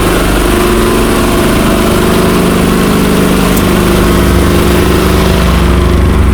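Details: 1963 Chrysler Newport V8, revived after sitting, smoking: loud, even idle with a steady low burble, no misses, knocks or stumble off idle, a normal idle.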